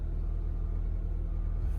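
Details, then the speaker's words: Copart auction car (Infiniti or Nissan) after starting right up with a little hiccup: a steady low rumble at an even idle with no knocks or misses; it sounds pretty healthy, a normal idle. "we'll keep an eye on this one too y'all it sounds pretty healthy for the most part does these are pretty good"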